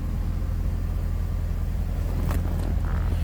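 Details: 1989 Chrysler TC by Maserati with 43,850 miles, no warning lights, idling after start; low, steady, even rumble with no knocks, ticks or misses, a healthy idle.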